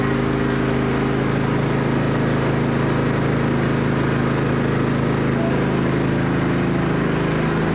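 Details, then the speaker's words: John Deere GT225 lawn tractor on its test drive with the blades tested: a smooth, steady drone at constant speed with no misses or knocks. Runs and drives nicely and fires easily; the battery light stays on. "But yeah, this thing runs and drives really nice. Fired up every time now so easily."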